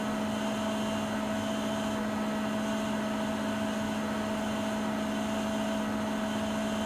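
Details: Siemens iQ300 washer (WG41A1X1TR, 1000 rpm, 9 kg per title; spoken as 10 kg) at top spin speed mid-cycle of a 13-minute spin. Steady high hum and whir, no knocking, banging or scraping. About 72 dB; normal spin.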